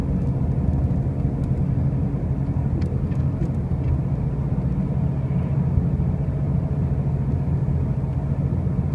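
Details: 2005 Pontiac Grand Prix with brand new wheel bearings and new tires: a steady heavy low rumble drones evenly at road speed with no knocks; a loud noise while driving, cause not yet found.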